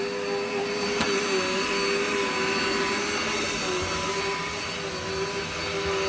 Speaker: Stand on this corner. You can hear it bogging down.